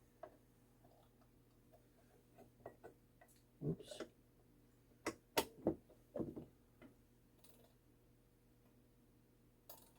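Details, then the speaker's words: 85-year-old 1939 World's Fair novelty ball clock: faint, irregular ticks and a few louder clacks, then the beat dies away to silence. The clock stops ticking, attributed to a dirty movement. "this is a uh see how it stops ticking this is a a 1939 ball clock or uh World's Fair 1939 World's Fair ball clock"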